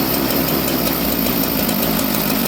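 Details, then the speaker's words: Chainsaw, possibly a 281 or 288 carb with governor, that was idling fast from a lean low jet: with the low jet turned out (left) it runs rich, a rough uneven two-stroke idle that sags and labours toward stalling. "first step is to turn the low jet to the left, opening it until the saw starts to slow down and wants to die."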